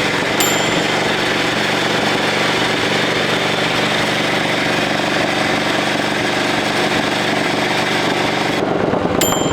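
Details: 1941 Caterpillar dozer, sat for years: pony motor rattling steadily with harsh grinding underneath, drive gear apparently clashing instead of meshing with the main engine flywheel, not turning it; cause suspected, not confirmed.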